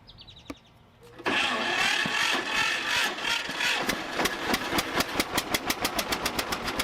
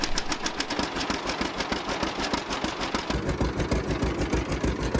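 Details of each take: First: 1950 John Deere Model A sitting about six years, first start after drying wet, flooded plugs: quiet cranking, then uneven popping that builds to a steady slow two-cylinder putt, blowing debris from exhaust, small manifold-to-pipe exhaust leak; rough running after flooding. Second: 1950 John Deere Model A barn-find tractor, first start after about six years sitting: steady, even two-cylinder popping about three beats a second, no misses or knocks; small exhaust leak between manifold and pipe.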